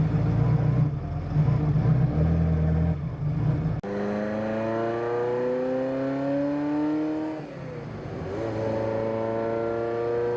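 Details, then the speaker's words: Ferrari F40 fitted with a different exhaust, after winter storage, run before delivery: brief crank, catches cleanly, revs climb and settle in smooth even sweeps with a deep steady exhaust note; healthy. "so press the magic button and you can already hear this this one's a lot different it's got a completely different exhaust on"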